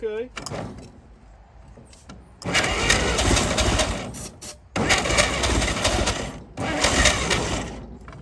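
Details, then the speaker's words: 1937 Chevy truck six, sitting about 45 years, cranks in three two-second bursts after a cool-down and starts catching on ether/starting fluid; carburetor froze up from running on ether that long, but it's a runner. "we're getting somewhere with it woo she runs the carburetor froze up from running her off the old ether that long but she's a runner"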